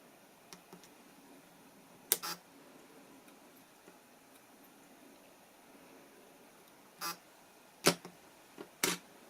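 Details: Tokina AT-X 100mm f/2.8 D macro lens making sharp irregular clicks and double ticks from a faulty aperture mechanism, later repaired under warranty.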